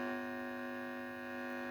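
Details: Vintage 1950s–60s Heathkit T-3 tube signal tracer, warmed up, with its original probe: a steady low buzzing hum with a ladder of overtones, mains hum picked up through the unearthed probe.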